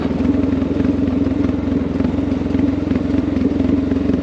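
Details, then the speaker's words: Honda XR650L 644cc air-cooled single, coasting down long hills in second gear on closed throttle: even steady thumping, no popping or backfires, indicating jetting is about right. "you guys you can just let it pull without giving it any throttle and you can tell that jetting's fairly in the ballpark just have a listen you'd hear popping right now if things were not right"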